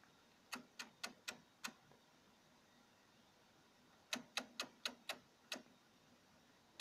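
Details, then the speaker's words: Single-relay oscillator at about 5 V with a 110-ohm resistor and a small capacitor: bursts of sharp, dry relay clicks, about four or five a second, pausing then restarting. The oscillation is fairly stable but sensitive to shocks and sometimes needs a knock. "so it's pretty stable it's funny there's some ringing you know you can listen to this to the noise that it's quite sensitive to to shocks"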